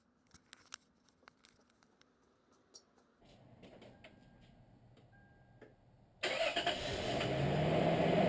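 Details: Toyota 3.4 L V6 5VZ-FE (4Runner/Tacoma/Tundra) after valve cover gasket replacement: a few seconds of even cranking, then it catches and settles into a smooth, steady idle with no misfire; normal start after repair.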